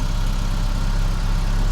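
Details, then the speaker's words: Geo Tracker after replacing cracked exhaust manifold with header, chilly morning: steady low even idle, no ticking or puffing at manifold; runs smoothly with no exhaust leak heard, some welds possibly incomplete. "Will she do it? Oh yeah, like a champ. Well, I don't hear any exhaust leaks, so that's good."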